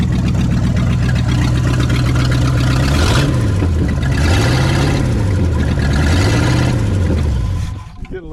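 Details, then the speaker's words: 1959 Ford Galaxie Fairlane 500, 352 V8, first start in years: loud, uneven rumble with open exhaust and wandering revs; the rough running fits the carburetor flooding raw gas out past the butterfly. "look at the back it's just flooding gas out it's coming out this uh butterfly no look in the look in the copper oh my gosh that's why he said the carburetor"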